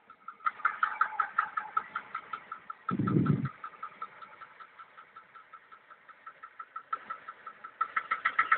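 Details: VAZ 2103 engine at idle: sharp metallic tapping about four per second over a quiet, steady idle; engine knock, cause unknown and owner unsure whether it is normal.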